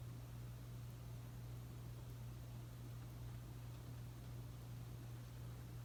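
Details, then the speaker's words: Casablanca S3 ceiling fan (2002, 188x20 mm motor) with new capacitor on medium: quiet steady low hum, no knocking, rubbing or wobble; normal running. "Now I'm going to go ahead and turn it on medium."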